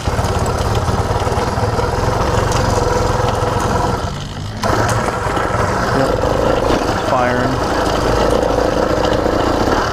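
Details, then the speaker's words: Brand-new CDH110 (true 85cc) iron-sleeve two-stroke motorized bicycle engine, first ever start: lumpy chugging that sags almost to a stall then catches; sounds rich, cause suspected, not confirmed. "sounds Rich because it wants to fall out right away so a brand new motor to just chug away like that that's pretty good"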